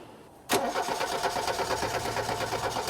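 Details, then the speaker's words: 1989 VW Fox, fuel injected, sat about eight years, cold start after cycling the key: uneven cranking, engine stumbles and barely catches; hard starting, owner suspects fuel filter or clog despite all-new fuel system. "Oh, it tried. Cycle that key. There we go. It's trying."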